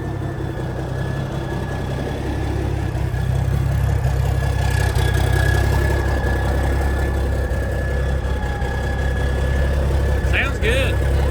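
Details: 1987 cabover truck diesel idling after its first cold start in years, oil pressure about 40: deep, steady, even rumble with no irregular knocks or misses. Sounds healthy; normal idle.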